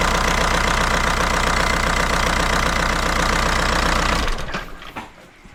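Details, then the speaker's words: VW Jetta TDI diesel clattering loudly at a fairly steady rhythm, then dying off unevenly after four seconds; rough running, air bubbles in the fuel lines letting air into the fuel suspected. "Yeah, it's uh acting up because of the air bubbles."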